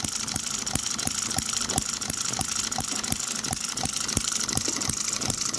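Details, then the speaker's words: Microcosm M96 "Oddball" 2cc hit-and-miss model engine just after its electronic ignition was retarded while running: sharp pops about three a second with irregular gaps, giving a longer miss cycle. Normal, happier hit-and-miss firing. "Right away, that's got a longer mist cycle. That is a happier engine firing there."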